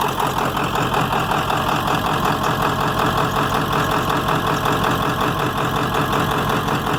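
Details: 7.3 diesel: a loud, uneven idle with lumpy pulses at about 160 a minute and a hard, loping beat. Rough running, with blowby suspected.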